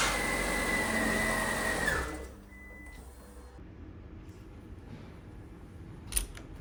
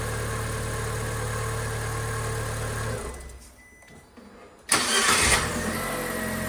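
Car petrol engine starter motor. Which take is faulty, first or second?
first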